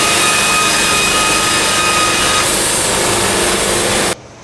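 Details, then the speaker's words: Sawmill cutting a board at a properly increased feed rate: even, steady roar of the blade for about four seconds with no chatter or resonance; clean cut. "All right, completely different look now. Now look what we got. There is zero resonance at all. It's disappeared."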